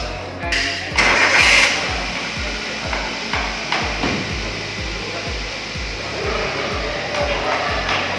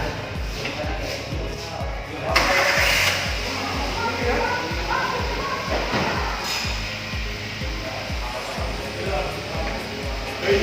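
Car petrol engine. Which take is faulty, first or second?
second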